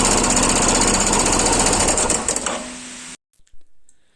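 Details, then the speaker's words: Royal Enfield Himalayan single: fast regular clatter, about four per second, from a faulty timing chain tensioner whose lock fails so it pushes in. It stops with the engine. The tensioner is to be replaced. "देखिए cutter पटर cut पटर की आवाज आ रही है Russell य किस चीज का हो सकता है आप बताइए यह मैं आपको बता दूं कि य टाइम च का आवाज है"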